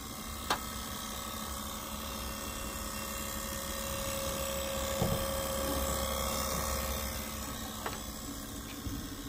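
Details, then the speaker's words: 2008 Prius with DTCs C1256 and C1391 and ABS and brake warning lights, heard on switching car on: quiet steady electric pump hum with faint ticks/clatter that never shuts off; ABS pump can't build pressure, ABS actuator appears to need replacement. "it's normal but normally it would stop and it's continuous on this car so I don't know if you can hear it but the essentially the abs pressure pump is continually running because it cannot build pressure"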